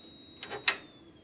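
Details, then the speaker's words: CRT monitor used with an Amiga 1200, dead on test; thin steady high-pitched squeal from power-on with a sharp click, high current bypassing the flyback primary; flyback transformer needs replacing: flyback transformer squeal. "that that's a high current and it's bypassing the primary coil of the flyback flyback it adds current to the tube"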